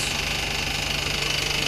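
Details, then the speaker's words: 2008 Ford Fusion (salvage, front-end damage) idling with the AC on: fast regular chattering from the belt. The tensioner's weak spring lets it hit its stops under AC load. Worn belt tensioner chatter. "down in here you can see it in there tear It Off so you can see when the AC's on that thing's just chattering full full length the full uh length of it of its drive on there"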